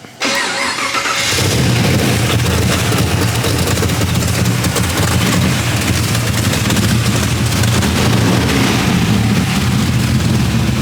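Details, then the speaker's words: LS3-style V8 swapped into a BMW E46, first start-up with coolant filled and e-fans working: cranks briefly, fires at once and settles into a steady, even, quiet idle with a clean low rumble, no misses or knocks; normal start and idle. "i like how it's not super loud it's really quite an idol"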